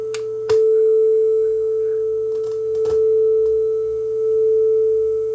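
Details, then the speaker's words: Nakamichi DR3 cassette deck playing a 440 Hz test tone against a certified quartz-lock calibration deck: clean steady tone with only a very slow gentle beat, tape speed correct. "that's how close they are I got them both running you can hear just a very slight [Music] tone going back and forth left to right that's how close we are it doesn't get much closer than that"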